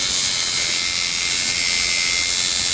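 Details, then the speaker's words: Coil tattoo liner machine after gap set near a dime thickness, then brought out a tad: steady, high, even buzz with no stutter or pitch change; tune judged by sound; normal running. "Basically, you just sit and mess with it. And once you get it tuned just like you like it, you can tell by the sound of it. Soon as you, you know, fire it up, you can tell whether it's tuned well or if you need to mess with it."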